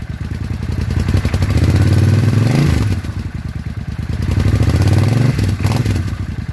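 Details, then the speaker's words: Suzuki Intruder 800 V-twin, after new spark plugs on one side to cure backfiring and popping: an even, steady thump rising and falling cleanly with the throttle, with no popping or misfiring; much smoother. "Sounds better already. Much, much smoother."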